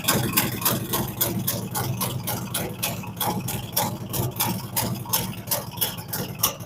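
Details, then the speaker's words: Freshly built V-twin on fire-up after cam and big bore kit, ThunderMax running initial idle tune, cold and rich like choke on; loud lumpy loping idle, three to four uneven pops a second, expected to even out; normal cold idle. "so I'm going to start it gonna be a little loud so just bear with me"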